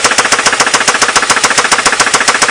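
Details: Ford Mondeo Mk3 1.8 at idle: hard, evenly spaced metallic rattle, about eight bursts a second, loud and constant; loud engine rattle, source not yet pinned down.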